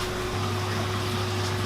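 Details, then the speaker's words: Aquarium wavemaker pumps (Gaia 150 50 W and a 40 W unit) run with a steady, unusually loud low electrical buzz and a fixed higher hum, with no speed changes. "the other one is a glamorca it's a forty water it's also very loud and when i'm standing right here i can really hear the the buzzing of these wave makers"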